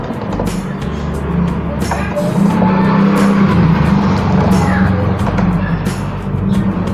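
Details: 2011 Honda Scoopy scooter with an original, never-opened engine: small engine puttering at a steady, even idle under background music; no knocks or rattles, runs healthy.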